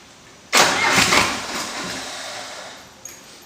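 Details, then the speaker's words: Diesel cold start after about 30 seconds of glow plug warm-up, started without throttle: starter catches quickly, loud rough burst, then settles to a steady run; good cold start. "all right so what you're gonna do is go ahead and start it up forgot to give it some throttle"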